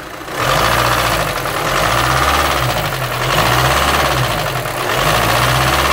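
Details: Volkswagen Amarok 2.0 diesel brought in for a strange noise, oil pressure checked at idle: loud idle with rough uneven clatter and slow low throb beneath, pointing to a knock deep in the bottom end.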